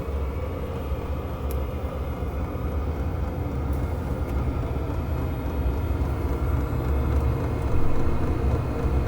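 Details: Cinebasto diesel air heater used for home heating, running hard during normal startup: deep steady blower roar with quick, faint fuel pump ticks near the microphone, ticking speeding up as output rises.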